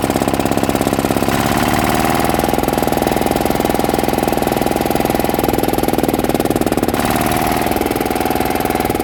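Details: Yanmar 160 single-cylinder diesel after rebuild with new bearings: it starts easily and gives a firm, regular thump at about three and a half beats a second with no extra knock or bearing rattle. Bearings quiet; healthy.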